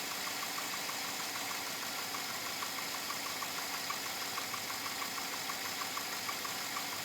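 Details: 2007 Chevrolet Avalanche at about 86,000 miles, idling: light, fairly even ticking knock about twice a second over hissy background; owner unsure if engine knock or piston slap, unresolved after four dealer visits.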